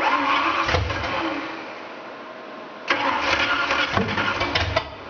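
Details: 1988 Ford Thunderbird with a 5.0 V8 conversion, start attempt around 2 am, with fuel pump, fan and air pump on and some extra fuel given: two bursts of fast cranking with a rough catch and a pop, but no start. The cause is unclear.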